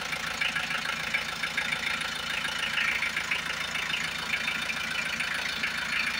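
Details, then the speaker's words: Hyundai H100 D4BB diesel after a top overhaul for a noisy engine and weak pulling, first start with parts torqued and coolant okay. Steady, even idle with light clatter; the earlier knocking is gone, normal idle. "Kaya sir, ito na yung update ng sakyan. Wala na yung kalampag niya."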